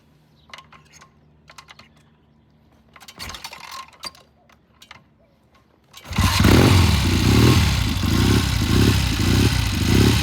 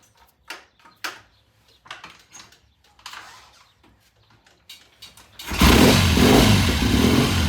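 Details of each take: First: 1972 Triumph TR6 motorcycle during warm-up: starts well, but note surges and breaks up, popping and spitting in mid-range; raising carburetor needle one notch considered, cause unconfirmed. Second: 1972 Triumph TR6 motorcycle with a slow warm-up problem, cold start after the pilot jet of the Premier carburetor was checked: twin fires promptly and settles into an even, steady idle with no misses. Normal cold start and idle.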